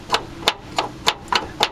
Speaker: she moves up and down and I'm able to turn it but you hear that in